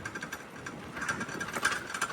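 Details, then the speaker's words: Bicycle riding downhill over bumps in the mountains: irregular light metallic clatter on every bump from a loose rear luggage rack rattling on its mounts. "And I'm kind of afraid my rack's going to fall off, so I can't go too fast over these bumps."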